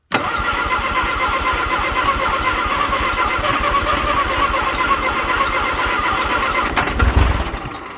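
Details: 1962 Vauxhall Victor sitting 25 years, points cleaned, coil changed, little gas added: long steady cranking on a weak rebuilt starter, coughing and almost catching near the end but never firing; crank, no start.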